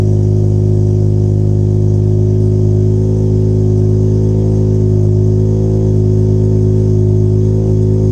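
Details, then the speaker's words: 13B rotary in a Factory Five 818 after freeing stuck apex seals: all plugs firing, some compression back in the front rotor; ECU idle feedback maxed at 50% but idling fine and warming steadily. Loud, steady, even burble, no misses, knocks or hunting; normal idle. "However, it was idling fine. It was coming up to temperature nice and easy."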